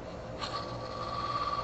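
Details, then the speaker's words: Wood lathe turning eccentric earrings: a thin, steady high chirpy squeak rises over the lathe's low hum from a freshly sharpened gouge, showing it is now cutting cleanly after initially not cutting well. "if you hear the squeak you have that chirpy sound it was a initially not cutting well but now it is"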